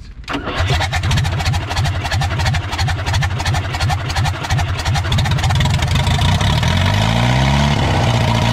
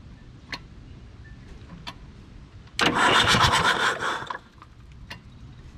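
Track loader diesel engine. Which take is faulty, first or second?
first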